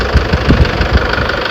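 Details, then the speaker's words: Toyota Hilux Tiger D4D 2.5 L diesel (1KD/2KD family), cold morning start at idle: heavy uneven low knocking about four a second, with white smoke from exhaust and dipstick tube; valve clearance problem suspected, to be checked by valve adjustment and injector testing. "สตาร์ทเครื่องยนตจะมีเสียงเขกนะครับแล้วก็จะมีควันออกตงูไอระบายนะ"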